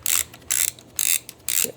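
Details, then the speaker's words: Reto Ultra Wide & Slim 22 toy 35mm camera: four quick bursts of crisp ratchet clicking as the film advance lever is wound, the normal sound of film advancing. "the other thing you can tell used to tell that the film is moving is this film advance lever which"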